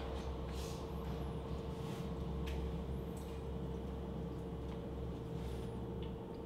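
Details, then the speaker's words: Eco King boiler during startup and calibration, fan slowed past ignition speed (about 380 rpm) to low fire at 1.5 bar; soft steady low hum, no surging or rattles, extremely quiet; normal low-fire running. "and now the number will drop to zero zero and you can hear the power of the boiler the fans not going is hard it's extremely quiet"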